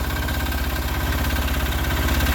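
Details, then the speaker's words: Sears Suburban 6HP single-cylinder diesel: steady idle with even light knock each firing stroke, nothing irregular; healthy small diesel. "always sounds like diesel's knocked a little, hey? I love the smell of it."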